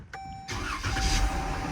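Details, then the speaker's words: 2014 Dodge Durango 3.6L V6 after repairing crank sensor wiring (earlier long crank, codes incl. P0335): one short crank, engine catches immediately and settles into smooth steady idle; normal quick start. "Bam, this thing fired right up. Let's listen to that again. I'm gonna shut it off, put my foot on the brake, crank this thing. It starts right up."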